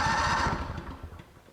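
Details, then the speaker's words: Honda generator that sat about 7 years with old gas, cranked after carburetor work, fuel present. A few quick firing pulses fading within a second, catches but won't run; suspected 12 V fuel shutoff solenoid at the fuel bowl port jammed with debris. "we still we have fuel we're getting fuel we don't we just don't have a run"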